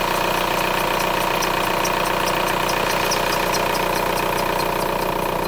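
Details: VW Golf 4 TDI diesel at idle with a fast, light ticking of about three per second over the steady idle; the source is unclear (owner asks what it could be): ticking noise at idle.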